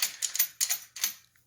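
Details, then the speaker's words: Minarelli motorized bicycle with chain tugs and a bearing chain guide (skateboard and 3/8-inch ball bearings) instead of a tensioner: a slack drive chain runs over the guide bearings with quick bursts of sharp, dry, typewriter-like clicks. "So I left it as that because it should sit above it when it's tightened, see? But when it's loose, and if it is getting really bad, you'll hear it"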